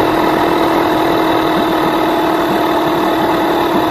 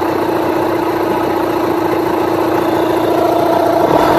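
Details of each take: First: Rebuilt Yamaha 9.9/15hp outboard during ignition timing and carburettor fine tuning, just started with some choke: steady, even drone with no dip or hunting but sitting noticeably fast; idle speed set too high, to be lowered. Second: Rebuilt Yamaha 9.9/15hp outboard after ignition timing and carburettor mixture tuning: even, steady idle with a short rev blip that returns straight to idle without hanging or dipping, showing the motor now runs properly.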